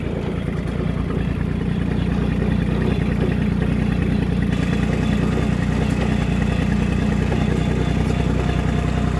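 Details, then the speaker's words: John Deere 1050 diesel tractor, possibly an '86 model, running with the muffler removed: loud, deep open-pipe beat, steady and even, no misses or knocks; the engine is running healthy. "i still got a lot of work to do around here but she's getting there man she sounds good with no muffin later on her maybe i'll just do the uh the old epa delete on it"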